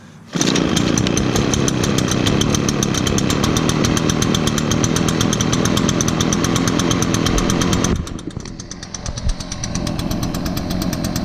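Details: Echo backpack blower, choked and primed via primer bulb under the carburetor: catches at once, crisp even two-stroke buzz holding steady high speed before easing back; normal running.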